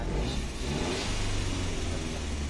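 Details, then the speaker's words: 2010 Kia Rio with manual gearbox, not run for over two months and previously a no-start: the engine now picks up cleanly and holds a steady, even rev with no stumble or knock. It runs normally. "at yun ay napaandar na natin ang Kia Rio 2010 mga sir"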